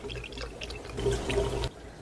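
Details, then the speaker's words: Audi Q7 diesel after water pump replacement, coolant being filled through the upper radiator hose without vacuum filling: liquid pouring with wet gurgles and bubbling burps from the surge tank. Trapped air is venting from the cooling system. "I don't know if you can hear, I hear air burp out of the surge tank up there."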